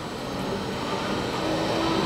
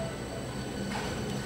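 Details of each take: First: Pump cavitating at about 150 gallons per minute: loud, rough, gravel-like crackling rattle that grows louder as bubbles form. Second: Pump at about 25–30 Hz flowing about 50 gallons per minute, no bubbles in sight glass: even steady rushing flow with low hum, no crackling; running cleanly without cavitation.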